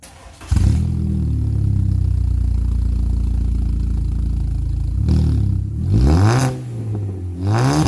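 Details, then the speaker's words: Jetta after a muffler was added to a formerly straight-piped, open-header exhaust from the cat back: soft, steady quiet idle, then clean blips rising and falling smoothly with mild tone up high; exhaust sounds healthy and quiet. "Sounds pretty good. That's really quiet at idle. Still got a little bit of tone up high, but I think that's definitely sounding pretty good."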